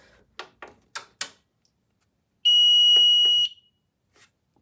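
A steady high-pitched alarm tone holds for about a second between handling knocks; the panel is still in alarm and waiting to be reset.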